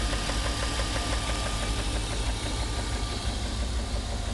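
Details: 1994 BMW 325is (E36): sharp regular ticking about three a second over a slightly uneven idle, smoothing above idle; no codes; began after a long 135+ mph run; cause unknown.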